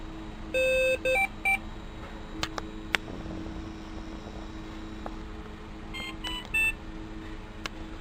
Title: Pulsioximetro TruSat TruSignal alarma de batería baja